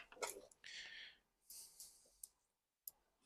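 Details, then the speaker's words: BMW K100 with no-start and over-fuelling, throttle position sensor tested: a light dry single click at the very end of throttle travel; the idle switch clicks normally. "you can hear that is it click as it gets to the very end so right now it's in its clicked position"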